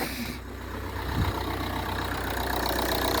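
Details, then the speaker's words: 2008 Ford Kuga Mk1 2.0 TDCi AWD idling with the clattering accessory drive belt removed: a steady, smooth diesel idle with no clatter, pointing the rattle to the ancillaries/belt; a new belt cured it. "purring away beautiful so i guess we've got some problems with one of the ancillaries"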